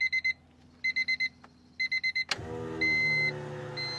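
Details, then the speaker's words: Electric fuel pumps (inline plus in-tank) whine loudly and steadily while priming after repeated dash chimes, on a 650 hp twin-scroll top-mount turbo Honda Civic build at first start-up; noisy pump, no fuel smell. "we're gonna prime the system here Oh my connection to my ground wasn't good enough it just call nothing all right twist that ground a little bit give it a connection let's hear the pump fire up not"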